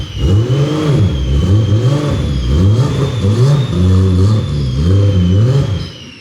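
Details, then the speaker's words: Vehicle that sat unmoved for three months: repeated clean blips rising and falling smoothly, with no knocks, misses or rattles between revs; engine sounds healthy. "it wow it sounds good though this thing's literally been sitting in the same spot 3 months which is crazy"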